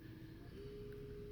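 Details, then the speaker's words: Minn Kota Endura 30 C2 trolling motor on an Ascend H12 kayak, hardwired to a 60A PWM speed controller on a 12V 35Ah battery, at full throttle: a steady, even mid-pitched hum with no wobble or grinding, normal full-speed running. "I guess you can hear that motor humming I'm at full crank and we can go all the way down"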